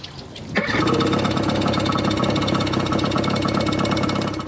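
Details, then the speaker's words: Yamaha 25HP outboard idling in neutral after shift adjustment: light, fast ticking over the engine from the dog clutch touching forward gear even with controls in neutral; still needs adjustment. "ticking noise you can hear there is the dog clutch touching as it's just trying to engage forward gear even though the controls are in neutral."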